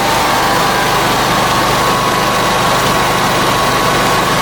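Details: Generac generator with Briggs engine, first run after governor rebuild: steady, even drone holding one speed with no hunting or surging. The rebuilt governor holds speed properly and it runs smoothly, RPM close to spec, voltage regulator not yet set.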